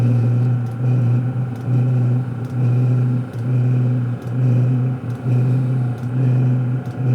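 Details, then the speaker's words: Cheap eBay Webasto-clone diesel night heater starting up, fuel pump beginning its start pulse after glow plug heating; steady low drone with soft even pulsing about once a second as it fires up and runs normally. "hope you hear the snow start pumping here at starter pulse [Music] it's firing up"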